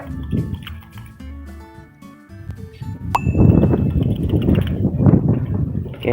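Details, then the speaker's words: PCV valve from a 2001–2007 9th-gen Toyota Corolla, after cleaning with contact cleaner and shaken by hand: the plunger clicks crisply and freely with each shake; clean, normal rattle. "it's now clean inside but I will clean more can you hear it making a sound"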